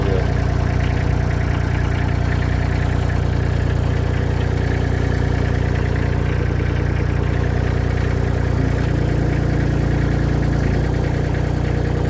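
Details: Mini skid steer diesel, first start after repair with a new ignition switch, preheat used: steady, even idle with a regular low chug of about 220 a minute, no misses or knocks; runs healthy.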